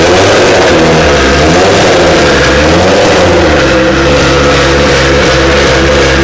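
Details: DeLorean with a swapped Kia twin-turbo V6, first-ever start after new fuel and ECU wiring, ignition and injector power switched on manually after several tries: the engine catches and runs at a steady idle with a gently wavering pitch and no knocks. Normal idle.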